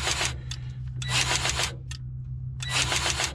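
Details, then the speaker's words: Grease gun pumping into a hard-to-reach zerk on the bubble-up auger gearbox shaft splines of a twin rotor combine after priming: firm, irregular clicking strokes with no air spitting, showing solid grease pressure going into the fitting; normal. "there's a bit more of that clicking noise that's when there's a good solid pressure coming through and it's not air"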